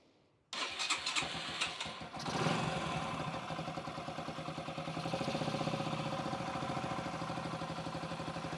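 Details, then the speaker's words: 2008 Yamaha XT125R Big Wheel four-stroke single stored 12–15 years, carb cleaned, new battery and plug, tank flushed, bit of two-stroke oil in fuel: cranks, fires in about two seconds, steady even idle; normal first start. "Japanese motorcycle, what can you say? Clean the carburetor, put a new battery on her, put a new plug in her, and she goes on the press of a button."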